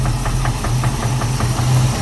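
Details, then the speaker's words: Chevy Caprice, 350 engine with 650 cfm Holley carburetor, transmission only has 1st gear; steady idle with a sharp regular knock only at idle, felt through valve cover; owner suspects internal, possibly crank, torque converter bolts checked. "it only does it it only has that knob like when it's idling and right now it's almost like you can probably hear it right now"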